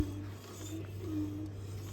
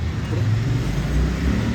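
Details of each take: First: Royal Enfield Himalayan BS6 rear wheel spinning before repair: faint rhythmic metallic scrape about once per wheel turn over a low hum, pointing to a broken pad pin rubbing inside the caliper; rear brake scraping. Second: Royal Enfield Himalayan BS6 rear wheel spinning after refitting and tightening the brake pads, whose broken clamp had been rubbing inside; only a low even rumble, no scraping or squeal, bearing fine, brake applied lightly by hand; normal rear wheel spin.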